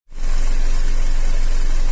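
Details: Restyled Opel Antara with a 2.4 naturally aspirated engine and all-wheel drive, at idle. A fine, even metallic chatter rides over the engine hum: timing chain rattle.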